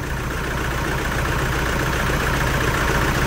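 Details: 2011 Toyota Hilux 2.5 diesel, lacking power, with uneven, lumpy idle stumbling a few times a second; misfire from contaminated diesel, scan shows pump valve code; pump, injectors, lines and tank removal and cleaning planned.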